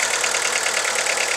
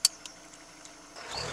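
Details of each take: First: VW Lupo 1.4 16V idling rough with the engine rocking and the check engine light flashing; uneven stumbling beat from one cylinder misfiring with no spark on that lead, so the coil pack or its wiring is suspected. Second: VW Lupo 1.4 16V after the misfire was fixed by replacing the pencil coil pack and clearing the fault codes; quiet at first, then it revs cleanly, its pitch rising and falling smoothly with no stumble or miss.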